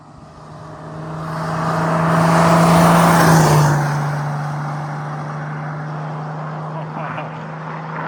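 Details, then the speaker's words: 1984 Mercedes 380SL R107 swapped to OM603 3.0 inline-six turbodiesel, just fitted 7.5 performance injection pump, stock turbo: diesel swells under acceleration with a smooth rising whistle that fades off throttle; normal turbo whistle. "Man, that sounds that sounds so so sick. The stock turbo, it just it whistles so nicely."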